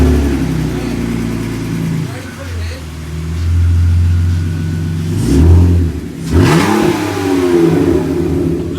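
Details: 220,000-mile BMW E46 330Ci during clutch job, revving: deep, very loud raw roar far beyond a normal exhaust, like an open pipe; something suspected disconnected, not confirmed.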